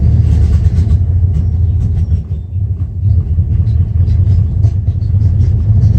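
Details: 1994 Dodge Ram 5.9L with codes 37 and 51: deep uneven idle that stumbles, with sharp irregular backfire pops. The cause was confirmed as a failed crankshaft position sensor, and replacing it restored normal running.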